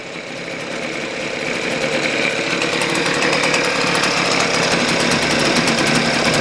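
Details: Husqvarna 125B two-stroke blower after a new piston (old one damaged by straight fuel): a burbling, uneven idle that smooths as the low screw is leaned out, so the low-speed mixture was suspected a little rich while the high was almost perfect.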